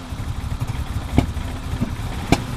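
The cold idle runs uneven with occasional stumbles and puffs about once a second, which sounds like a misfire. The cause is unknown.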